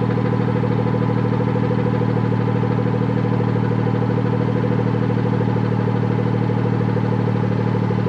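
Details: Idle on a BMW F30 340i after replacing the rattling exhaust valve clip, with the car started in sport mode to open the valve: smooth, even deep burble with no rattle or buzz from the exhaust. Normal, healthy idle.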